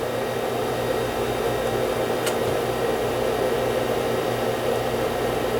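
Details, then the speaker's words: SCSI hard drive in a Macintosh SE spinning: a steady, low whir with a faint hum at a lazy pace. The drive sounds slow; owner suspects it may need new capacitors. "It might need new caps because it sounds like it's running slow. That's what it sounds like to me."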